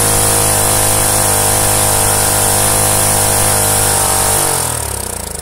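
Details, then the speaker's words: Rusted Predator small single-cylinder engine, formerly seized, run with no head gasket, the head closer to the piston: brisk, even running at steady speed for several seconds, then winds down; sounds different, a slightly sharper bark from the higher compression. "but hey it runs it sounds quite a bit different with the extra compression for the head being closer to the piston"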